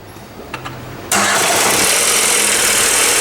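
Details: 2011 Ford Ka 1.0 Zetec Rocam, with a history of overheating and cylinder head work: on a cold first start it catches after a brief crank into a fast, busy idle with a rough knocking edge. Knocking on cold start.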